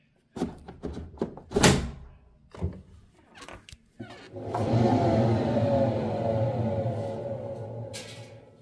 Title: "new" washer indesit WIL 85 EXBG, with very bad bearings